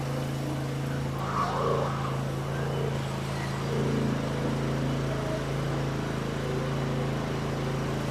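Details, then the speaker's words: Cub Cadet Ultima ZT1 54" zero-turn mower after blade spindle replacement, blades engaged; deck hums with steady even drone, no knocking or grinding, earlier noise gone, belt looks slightly shaky but no shaking heard. Normal mower deck running. "That sounds okay. Uh I don't like the way the the belt seems to still be shaking a little bit. I don't hear any shaking."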